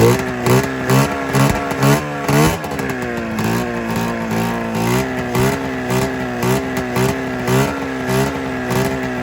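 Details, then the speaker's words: 27-year-old twin-cylinder snowmobile after ignition coil replacement: lumpy uneven idle with irregular pops and stumbles, still firing on only one cylinder; owner suspects fuel delivery problem; unconfirmed. "yeah it's it's still only firing on one cylinder okay"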